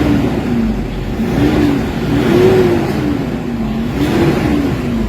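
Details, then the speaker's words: Toyota Hilux D40 diesel with low power, throttle delay and a turbo actuator issue, after XADO engine treatment: pedal blips rise and fall smoothly with no lag. The engine now comes on near 1,400 rpm instead of 3,500. Normal rev response. "Kanina 3,500 magagalit na yung makina, pero ngayon ayun yung galit niya, marinig mo talaga, ibang iba na kaysa kanina."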